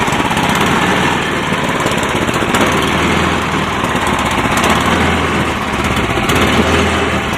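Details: Cub Cadet 1030E snowblower, 10 hp, 30-inch, electric start, cold start in neutral on choke: steady, even small-engine drone at constant speed with no knocks or misses; normal running, carb said to need cleaning.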